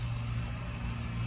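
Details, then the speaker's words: Old central AC outdoor unit with 110 V on each incoming line: steady low hum as the compressor tries but fails to start, drawing about 70-plus amps; swollen failed dual run capacitor stops compressor and fan. "hear that hum i hear that hum let me get my voltmeter out watch this"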